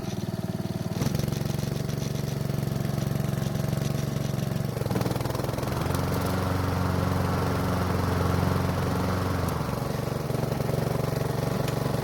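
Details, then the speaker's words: Honda mower after fixing fouled spark plug, old gas and dirty air filter (old filter reused for test): still hard to start, but runs with even, steady beat through speed changes and no black smoke, though still slightly rough. "So it was still difficult to start, but once it did, it didn't blow any black smoke out of the muffler, so it looks like we took care of that issue for the most part."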